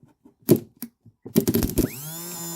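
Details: 2013 CF Moto Z6 UTV starter motor on the bench after cleaning the windings and brush material: a few handling clicks, then a quick whir rising to a steady even hum; spins freely and normally.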